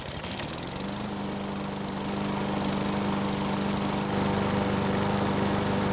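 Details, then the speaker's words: Nearly new Murray lawn mower small engine, given away over carburetor trouble, runs after service with the air filter back in place. It has run several minutes and is hot, with a steady, even drone and no stumbles or surging; it runs cleanly. "So, it's been running for several minutes, and the engine should be good and hot."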